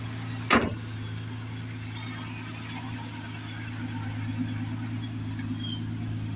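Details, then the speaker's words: 2006 Ford Taurus SE, about 195,926 miles, petrol idle: faint continuous light rattle over a steady hum; owner suspects the AC compressor rattling and plans to unhook it. "constantly hear that AC pump rattle or that compressor rattling. So yeah, I gotta unhook that."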